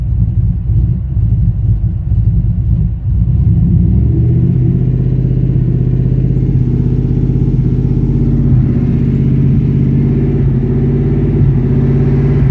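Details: Chevrolet K1500 with swapped 5.3 V8 and 212/218 .600-lift cam: deep, lumpy idle with an uneven beat and loping rumble, no steady rhythm; rough idle, cause suspected but not confirmed.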